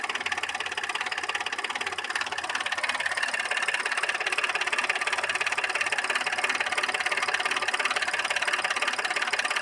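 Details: Audi A6 C6 3.2 engine: steady, fairly regular tapping knock through an uneven idle with a misfire and lack of power; cause of the knock unknown.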